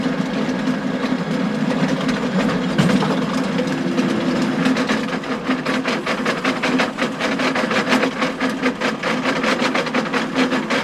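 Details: John Deere 6920 tractor with a power harrow in very wet, stony ground: sharp, uneven metallic clacks over the steady drive drone, getting busier later, as stones strike the harrow tines, which earlier stones had broken.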